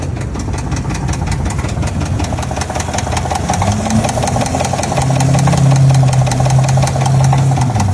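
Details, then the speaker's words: GMC Denali Ultimate, likely GM 6.2L V8, engine failed: heavy, deep knock about three times a second over a rough idle, loud and persistent; serious internal engine damage suspected, cause not confirmed. "Sounds absolutely terrible. This is so common nowadays."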